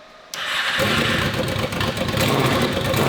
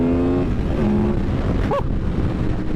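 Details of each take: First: Honda VFR800 782cc V4 fitted with a universal Temu turbo, first start: it catches and holds a ragged, uneven run, revved toward 2,000 rpm without smoothing out. The turbo is spinning; an airbox restriction or a setup error is suspected. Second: Stock Honda VFR800 782cc V4 accelerating on the road, warning light on dash: note climbs under load then turns harder and sharper as VTEC engages, supposedly around 7,000 rpm; noticeable, normal changeover.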